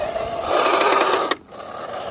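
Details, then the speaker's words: Traxxas UDR RC truck with a brushless motor on Pro-Line paddle tires, under throttle: harsh rasping grind for about a second, then it cuts off; the rear drive shaft is broken. "yeah that broke the rear drive shaft yeah I hate those drive shafts"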